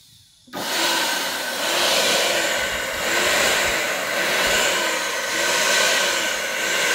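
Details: Dessini DS-903 blender that would not start, after replacing its switch with one from a Kenwood (250 V 10 A): quick spin-up to steady high whir with gentle swell, no grinding or catching; running normally.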